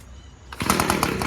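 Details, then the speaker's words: Echo PB250LN/PB251 2-stroke handheld leaf blower after recoil starter replacement, started on the ground: turns over a little, put down to run, catches first pull into a quick even buzz; low fuel mixture, revs up high, normal start. "Wow, look at that, huh? First start. So now you heard it turn over a little and put it down to run."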